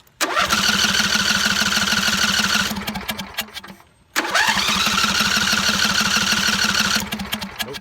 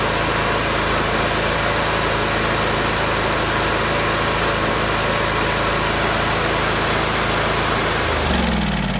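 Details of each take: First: John Deere mower after new spark plugs and cleaned coils and magnets, started without choke: engine catches, runs about two seconds and fades out, twice; still won't start without choke, though the popping is gone. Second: John Deere mower after new spark plugs and cleaned coils and magnets, cover off: steady, even engine note with no popping or misses, then a clean wind-down at shutoff; the popping is fixed.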